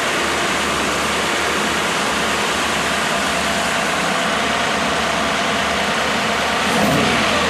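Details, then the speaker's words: Freshly rebuilt 1987 Mercedes-Benz 560SL at break-in after 16 years idle, warm start, microphone at the front of the engine: smooth, even running under steady fan rush, so quiet the chain tensioner is audible; normal running. "The actual engine is so quiet that I can hear the chain tensioning."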